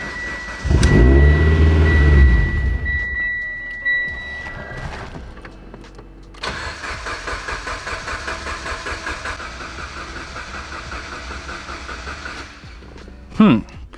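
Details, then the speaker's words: Mitsubishi Evo 10 on pump gas (ETS 6266 turbo, ID1300 injectors, Walbro 450), new base map then old tune; starter spins steadily but never fires, owner suspects another killed cam sensor, possibly from low voltage. "I cannot get the car to fire up I put chag's new base map on it would not start so I decided to go back to the old map from the old tune on the car and the car still won't start so I'm worried that it killed another cam sensor"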